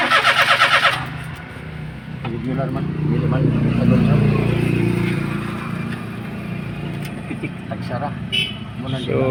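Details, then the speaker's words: Daihatsu Atrai no-start: short burst of rhythmic cranking that never fires; ignition coil spark weak, only coil number one producing spark, number two none. "so ating observation guys mahina ang kanyang kuryente mahina ang pasok sa kanyang kuryente"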